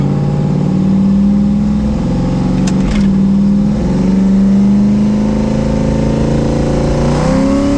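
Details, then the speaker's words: Boosted truck with 4L80 transmission cruising in overdrive with converter lockup, about 45 mph at 1600 rpm, around 18 psi boost: smooth steady drone rising cleanly with boost, no hiccups or misfires; normal cruise. "Sounds like it cruises pretty good. I don't hear it hiccuping and driving like shit like they normally do."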